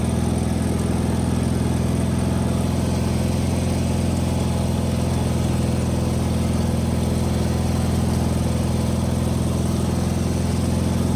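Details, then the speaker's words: Wheel Horse 520H hydrostatic tractor running on its own gas tank after back-purging it, started by jumping the solenoid with a weak battery; steady, even putter at constant speed without surging or missing; test drive successful, runs great. "well that's weird all right test drive successful I mean it runs great the hydrostatic rear end's working perfect"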